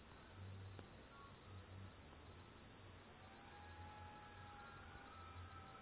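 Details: Hitachi 5K250 HTS542512K9SA00 120GB 2.5-inch laptop hard drive with very slow transfers: faint low buzzing beeps in short bursts about once a second over quiet hiss. Drive suspected dying, not confirmed.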